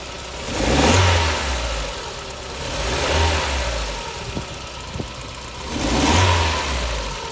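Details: Mazda MX5 petrol engine blipped three times, running rough and uneven with sharp pops between revs; head gasket issue suspected; engine misfire.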